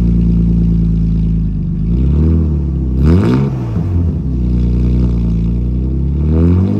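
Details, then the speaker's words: 2006 Subaru STI with a homemade custom exhaust: deep burbling note rising and falling through quick revs, clean pickup with no rattles or misses; healthy. "doesn't sound too bad actually"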